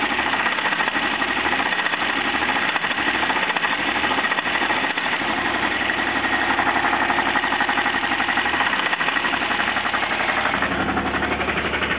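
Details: Jeep engine idling with a heavy, jackhammer-like knock about three a second deep in the block; four main bearings were found worn out, and the engine was replaced with a long block.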